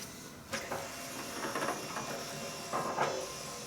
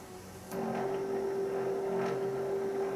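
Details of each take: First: Fourth-generation Nissan Maxima (1995-1999) power antenna after mast replacement, radio switched off: thin motor whir for several seconds then clean stop as antenna retracts fully, no grinding or stalling; normal retraction. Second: Power antenna on a 1995–1999 Nissan Maxima, radio switched on: steady electric motor hum keeps droning on after the mast stops short of full extension; the mast is stuck and needs replacement.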